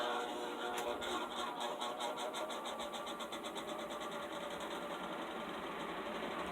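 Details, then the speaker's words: Custom atomic-orange Toastmaster box fan with Air King knob and cord, starting on low speed; soft rhythmic ticking quickening as blades spin up over a light hum, like an industrial exhaust fan; fan shakes noticeably; normal startup. "The startup on this sounds much like an industrial exhaust fan, which is pretty nice, I guess."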